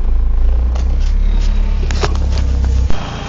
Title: 95 gst rough idle